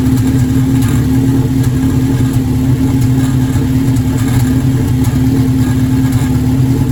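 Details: Formula engine after intake manifold gasket installed: steady idle with uneven, stumbling beat and periodic exhaust-pulse dropouts, a misfiring cylinder; cause not yet found.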